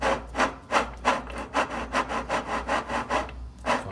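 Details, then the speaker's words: Easy washing machine that leaks water, transmission shaft turned by hand: rough scraping rub two or three times a second from worn transmission bearings; seal also leaking, riveted transmission to be replaced. "aquí el único problema es de que aquí ya tenemos este sonido"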